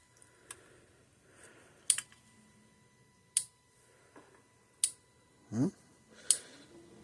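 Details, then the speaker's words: Parmak Magnum 12 (Mag 12 UO) fence charger with water ingress, rusted, corroded plates and contacts, powered on bench supply: sharp crisp clicks about every 1.5 seconds, gauge in green, about 7,500–8,000 volts, pulsing normally. "so far so good I can hear it clicking see what the gauge shows on the front scared me gauge is in the green I see it's working fine there"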